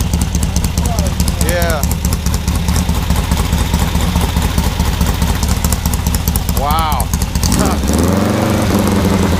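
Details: Freshly assembled 1600cc dual-port VW engine on a 1975 VW trike, big cam, break-in, 40 psi oil pressure at about 1000 rpm idle; loping slightly uneven but steady rumble, the normal big-cam idle.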